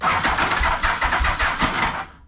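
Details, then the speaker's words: 1991 Yamaha Venture Royale motorcycle, rough starting: during cranking the starter clutch slips, giving a rough, uneven crank with grinding rasp and irregular thumps; starter clutch to be replaced. "I've got to replace the the starter clutch in it. It's um sometimes when you hit the starter button, you can hear it slipping and grinding and"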